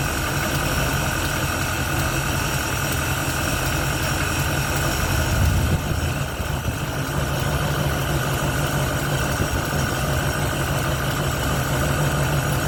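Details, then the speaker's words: 1971 Ford Torino, rebuilt 302 V8 with C4 automatic, after idle mixture screws were adjusted evenly on both sides: smooth, even idle with a steady low rumble, no misses, knocks or hunting. It revs and idles clean; the carburetor, a little lean, needed only slight tweaking. "It revs clean. It idles clean. Carburetor didn't need much adjustment at all."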